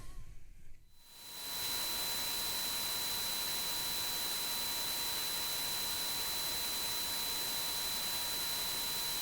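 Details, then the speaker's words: Boosted recording sample of noise affecting videos, attributed to Windows: loud steady hiss with two thin constant tones near 950 Hz and 4 kHz. Coil whine in recording. "i guess a sample of some of the like the coil line or noise that we were getting in our videos okay it'll be boosted so you can like more easily hear it through whatever speaker you have"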